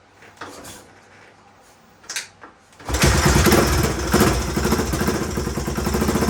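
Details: 1981 Honda XL500S single, first start from stone cold after oil change, air filter and makeshift fuel tank: a few kicks, then it fires and holds a steady, slightly uneven thumping idle; carb not leaking, owner hears a possible leak somewhere.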